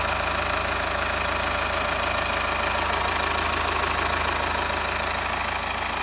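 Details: Subaru EE20 diesel after bearing bed repair with new D16T aviation-duralumin bearing beds: even diesel clatter at a steady idle, regular rhythm, no deep knock or misfire; normal idle.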